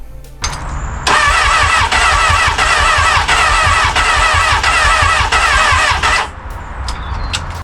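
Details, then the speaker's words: Crash-damaged Honda Hornet motorcycle cranking: about five seconds of steady, even starter cranking at roughly three beats a second with no firing; starting fluid no help, fuses fine, no spark found at plugs, ignition coils suspected. "all right so there's no spark thing for there so it could be that the ignition calls are working or could be something else"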